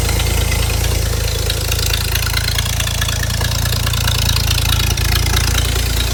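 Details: Ford inline six (possibly a 265) in a Hobart APU cart, sat 8+ years, running after a new battery and fuel line hookup; steady low rumble with an even beat, no misses or knocks.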